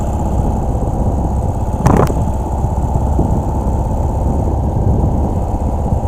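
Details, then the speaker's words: 2017 Ural cT sidecar motorcycle on the interstate, suddenly limping at barely 30 mph with the check engine light on: dull, uneven hammering engine beat under road rumble, pulling weakly with heavy power loss; a failed ECU is making it run rough. "and going at this point but it had definitely lost a lot of power"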